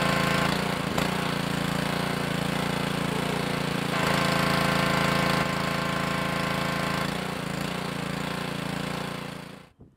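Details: Idle-surging pressure washer or non-starting lawnmower engine after ultrasonic carburetor cleaning: steady even small-engine drone, unchanging beat until shutdown, no surging or stumbling; runs clean and smooth.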